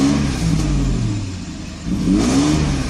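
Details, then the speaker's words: 1995 Mercedes S600 with a faulty E-gas throttle actuator control unit; gas pedal floored, the engine climbs only slowly and the revs wander and sag instead of pulling cleanly, so the throttles do not work correctly. "i'm pressing it on the through the floor gas pedal there as you see it is extremely sluggish rpms are not steady so there's clearly a problem there the throttles do not work correctly"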